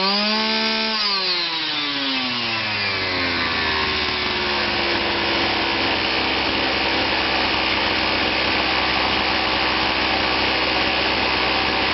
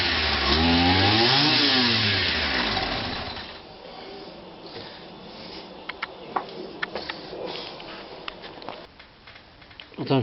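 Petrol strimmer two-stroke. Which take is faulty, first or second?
second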